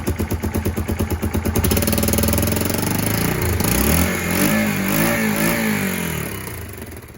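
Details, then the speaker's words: Kawasaki KLF300 Bayou 4x4 ATV, single cylinder, revved during fault-finding after it earlier backfired through the intake; now pops and crackles as fuel ignites in the exhaust instead, the exhaust needs sealing, and it runs a bit rough though tickover is good. "That's actually igniting in the exhaust. That's not a backfire. It was a backfire before."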